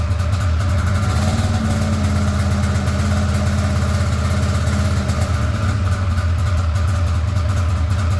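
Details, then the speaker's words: Polaris RMK 700 snowmobile on a custom build: low, lumpy two-stroke idle with an uneven beat and weak firing; owner suspects it is only firing on one cylinder, cause not confirmed. "though yeah sounds like it's only hitting on one cylinder"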